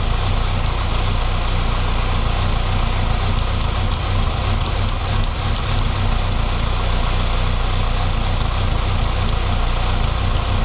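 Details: 2006 Saab 9-3 2.0T after engine rebuild: lumpy, uneven idle stumbling about three to four times a second, runs great with throttle; rough idle, possibly vacuum related, not confirmed.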